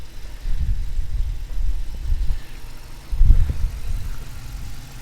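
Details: 2018 Dodge Challenger R/T Shaker 5.7 HEMI V8 petrol/LPG, about 47,000 miles, just bedded in, fresh oil, idling: deep burble, slightly lumpy but steady, no knocks or ticks; healthy.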